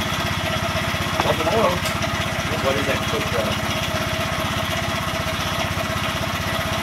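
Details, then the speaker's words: Honda Grom single-cylinder after rebuild (new piston, head, cylinder, high-flow oil pump), first start: steady even beat settling into a smooth idle, no knocks or rattles; healthy idle. "work now sounds quite sounds really good [Applause] sounds pretty good"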